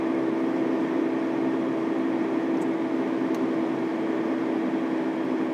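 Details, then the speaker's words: Subaru with a TR690 CVT, torque converter failure suspected, driven at speed: steady drone with a fixed mid-pitch whine under the road hiss, heard as main bearing noise in the transmission. "This is the first time I've actually got it to speed, but I'm also hearing a lot of main bearing noise in this transmission."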